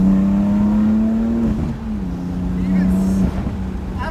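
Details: BMW F80 M3 turbo, after replacing cracked OEM charge pipe with new VRSF charge pipes: strong smooth rev that holds pitch, drops and pulls again, no hiss or boost leak; sounds louder, healthy.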